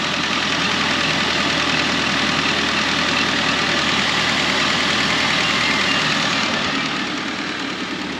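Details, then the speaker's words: Ford Ranger (2002-2011) after fixing intermittent misfire with new OEM coil pack, spark plugs and wires: smooth, steady idle with even pulse, no stumble or skip, firing cleanly; normal idle. "so it's running pretty good now i'm gonna take it for right around the block and see what we got but uh thanks for watching"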